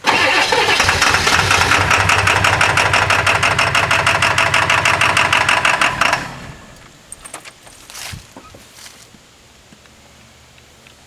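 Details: 1997 Ford F-250 XL 7.3L PowerStroke turbo diesel, cold start at 65 degrees, with bad injectors: about six seconds of steady starter churning that never catches, then stops; hard starting.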